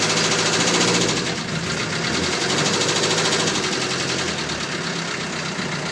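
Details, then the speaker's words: Land Rover Series 3 2.25 diesel, five-bearing engine, warm weather, after glow plugs: sharp regular knock about three a second that grows with revs and eases off; timing known to be out; owner suspects timing or fuel pump; diesel engine knock. "there it is you can just hear it coming in now but when I let off the revs it goes and it does run quite nice"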